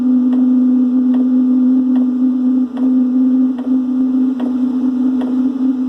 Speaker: And now you can hear the pump ticking, the metering pump. And the unit itself starting to come on. There we go, the exhaust is getting going now. Yeah, so it sounds like a jet plane about to take off.